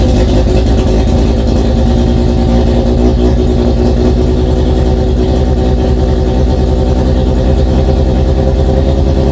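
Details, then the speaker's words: Mazda RX7 FC3S rotary, flex fuel, Haltech Elite 1500 with stock BAC valve fitted (10 Hz, 60% max output), before tuner visit: steady deep drone held at raised speed, no dip; idle still very high, idle control untuned. "Those are the main things that I changed, and it does still idle very high, but the point is we can get it fired up and idling even with this flex fuel setup before we've seen the tuner."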